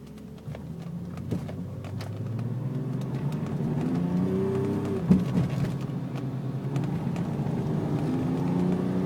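Engine note climbs with an uneven, lumpy pulse and occasional stumbles instead of a smooth beat, consistent with a misfire.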